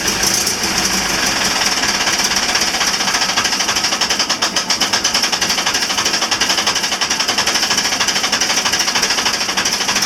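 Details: Marine Perkins 4.236 diesel (1984/85) from a sunken wooden fishing boat, after 3 months in salt water; starter soaked and dried, fuel bled, one injector looks bad. First try failed; fast, even hammering crank with loud hiss, catching on start gas.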